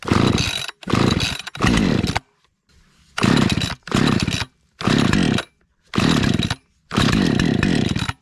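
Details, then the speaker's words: Husqvarna 550XP chainsaw after sitting about 6 months, air-purged: repeated short pull-start bursts that catch and die within a second, sputtering; mildly flooded engine on start. "Probably a little bit of flooding going on here. There we go. Gotta get used to how it works again."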